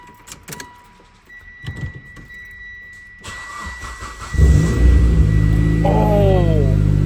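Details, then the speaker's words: Mitsubishi Evo X after reinstalling the exhaust manifold to fix an exhaust leak: engine cranks, catches and settles into a steady even idle with no ticking or puffing, far better than the earlier tractor-like sound. "Ain't no [ __ ] [ __ ] like how an evil is supposed to sound like like this. Oh man, I was I was hunting like a tractor the whole time."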